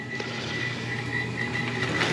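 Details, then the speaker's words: Old Rheem 90% furnace, draft inducer motor just kicked on: steady hum with a high whine and uneven croaking rattle, motor running rough and near failure. "it just kicked on you can hear the draft motor have it on a real good old time there that's getting ready to go out"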